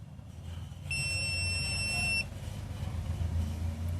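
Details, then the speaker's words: New digital multimeter, test probes shorted together: one clean high steady beep just over a second while display reads 0; continuity function working properly. "Short பண்ணும்போது அந்த சத்தத்தோட 0 வருது நமக்கு 1."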